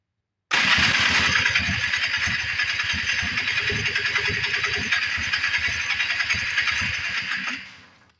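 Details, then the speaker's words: 1994 Polaris Trail Boss 250 ATV after carb cleaning: starter cranks steadily about three to four pulses a second for seven seconds, never fires; engine flooding with excess fuel, spark plug likely fouled. "it's not trying to run it's actually looks like it's actually flooding out what it looks like it's getting a lot of fuel coming up through here"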